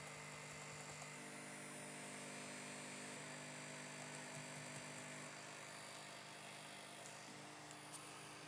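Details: L502x laptop freezing and crashing in 3D games, giving a harsh, unchanging electrical buzz with several fixed tones that drones on while it hangs; the source is unknown.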